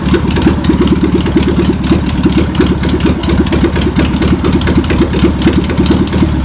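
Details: Air-cooled flat-four of a VW pressed-bumper-panel bus stored over 50 years idles after penetrating spray and fuel are added. Loose, loping chuff of about ninety beats a minute, uneven but self-running. Owner suspects a bad fuel pump. Deemed a runner.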